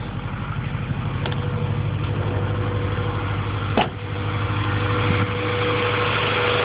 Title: Rod knock?